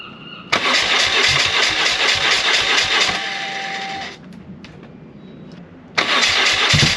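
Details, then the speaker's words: BMW R1100R motorcycle with a new coil fitted and a slightly low battery: it cranks and catches roughly with the fuel pump priming, then dies instead of idling and dies on throttle. "battery's a little bit low low unfortunately but everything runs but it dies as soon as it goes into throttle it dies it dies out"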